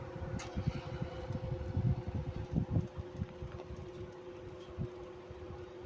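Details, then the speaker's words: 1995 Chambers (Whirlpool) 5,000 BTU R22 window AC, model BPAC0500AS2, non-PSC induction fan motor, Matsushita compressor, on medium with compressor running: hum with rough rumble and thumps; fan motor bearings badly worn. "This fan motor is extremely wore out and the bearings are shot. So, it's a little bit little bit rally sometimes."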